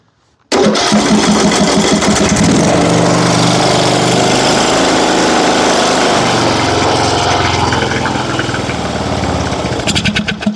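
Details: John Deere riding mower, Briggs & Stratton single-cylinder, after valve adjustment: the engine catches at once and settles into a steady, even beat with no misses or knocks, running smoothly.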